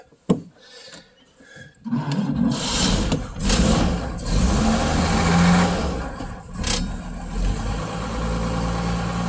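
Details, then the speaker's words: 6-volt vehicle cold-started at about -5° outside in an unheated shed, unused for days, after pumping the gas pedal: short, slow cranking, then it catches immediately with no choke and settles into a steady, even idle, a healthy cold start. "starts right up no choke"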